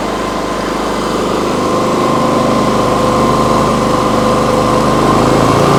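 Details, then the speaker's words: Briggs & Stratton P3000 PowerSmart generator after fuel pump replacement and tune-up, on premium ethanol-free fuel, holds a steady, even drone without hunting or surging under a plugged-in tool load; it runs healthy. A leaking fuel shutoff is found afterward. "Well, that sounds really nice. Just make sure there's no leaks by the carburetor or anything. Go find a power tool to plug into there."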